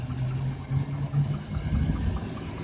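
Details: 2007 Chevrolet Avalanche idling in gear: light ticking about two or three times a second over an uneven rumble; judged internal rather than a lifter.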